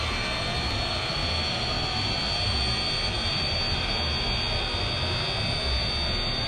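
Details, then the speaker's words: Redcat Racing Kaiju EXT RC truck on 3S at speed: a steady high thin whine rides over the motor and road rush. The pinion is meshed too tight, which the owner thinks the motor clamp causes and suspects is costing speed; it read a slow 36 mph. "it is all over the road man and i guarantee i'm probably losing something with the way that uh pinion is so tight"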